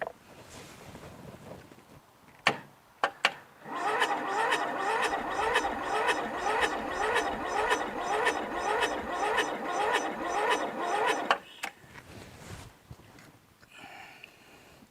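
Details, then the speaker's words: Briggs & Stratton 13.5hp flathead lawn tractor engine with mouse nest inside, cranked with starting fluid and choke: laboured, uneven slow cranking under two turns a second, stops without catching. "I don't know I it seems like it it's really slow you know what I mean the cranking is slow"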